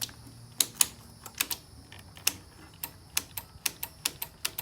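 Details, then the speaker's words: Tahoe 7000 generator with power but no start: sharp dry clicks in irregular bursts as the start button is pressed; the switch that earlier didn't click now clicks normally. "So is it the switch? You can hear the switch clicking in."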